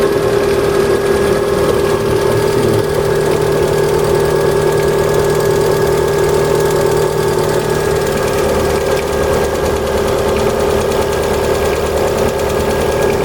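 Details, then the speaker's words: Cold engine at idle with a light, uneven ticking that seems to come from the top of the engine and grows with rpm; it lasts until the engine warms to 70 degrees, and lifters versus pistons is uncertain, with pistons thought unlikely. "Короче, пока до 70 не нагреется, будет цокать вот так стучать."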